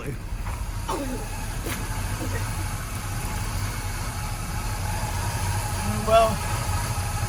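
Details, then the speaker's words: Squarebody Chevy C10 pickup running terribly after one short drive: low, uneven, stumbling idle with no steady rhythm; cause unconfirmed, maybe debris sucked up from the fuel tank, fuel filter unchanged almost 10 years; rough idle. "We took it for one drive and it's running terribly now. It is working. >> I mean, we barely drove it cuz the caliper was there. I think maybe it's sticking possibly. You can hear how it's running now, though. It is running terribly."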